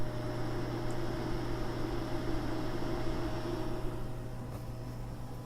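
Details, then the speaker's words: Small fan for a DP50V2A power supply enclosure, bench-tested at about 200 mA with the mic close: soft, steady whir with a faint low hum, no ticking or rubbing; quiet enough to run constantly, normal cooling fan. "that's really quite quiet see what it's going like the mounted on the case yeah I think that's gonna be okay actually even if it's on all the time so that's good"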